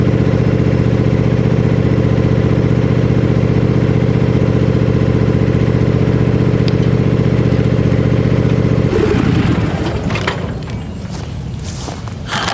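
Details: Gravely Pro Turn 52 mower with blades not engaging, started on a little choke after fitting a new plug: steady even drone with smooth regular beat, no knocks or misses, before tapering off.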